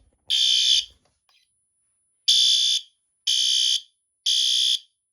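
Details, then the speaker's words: Fire alarm system test: harsh, loud horn blasts about half a second each, three in a row a second apart, clean and strong; the horn strobe is sounding properly. "Yes, that's a horn strobe. You can see the grill. Wow, you can hear the strobe."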